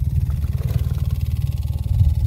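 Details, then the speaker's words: Maruti Alto 800 AC blower running: rapid, steady low fluttering thump like paper caught in the fan, caused by debris such as dust or leaves stuck in the blower or vent. "यह आवाज़ है इसका कारण यह है कि कुछ किसी चीज़ में फंसा हुआ होना, कि यहां तक कि धूल के कण भी कर सकना। पेड़ ये पत्तियां भी हो सकती हैं।"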